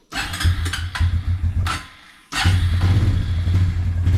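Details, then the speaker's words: Suzuki Quadrunner 250 ATV revived after about 7 years in storage: short cranking bursts, then fires without choke and holds a steady thumping idle; normal warm start. "no choke needed let's check the gears hey we got forward"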